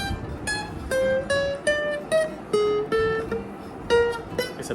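Single plucked guitar notes ring out clean and sustained, with no rattle or buzz behind them.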